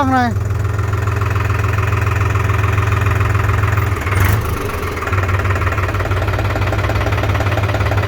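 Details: New New Holland TT3.50 tractor, three-cylinder 50 hp diesel, just started, all gears in neutral: even, steady chug at idle, about 200 pulses a minute, no knock or miss; healthy.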